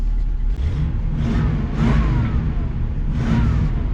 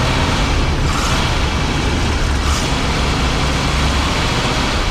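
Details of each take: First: 1987 Class A motorhome engine just after installing a new fan clutch to fix overheating: fires right up, steady even low rumble with no knocks, misses or speed swings; healthy normal idle. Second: 1987 Class A Coachmen motorhome gas engine just started cold after pumping the pedal: loud, rough, uneven note with revs surging on throttle and no settled idle, since the automatic choke's fast idle isn't working; hard cold start.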